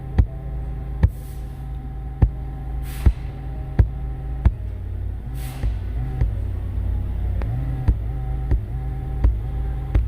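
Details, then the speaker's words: 2016–2020 Ford Mustang (2019) driver climate-controlled seat: steady low buzzing/groaning hum from seat motors when heated seats activated, with taps on seat back. Motors measured about 2.5 megohms versus 250k–400k spec, so replaced. "customer complains about noise coming from the seat when heated seats are activated let me see if you can hear this i'm just tapping the back of the"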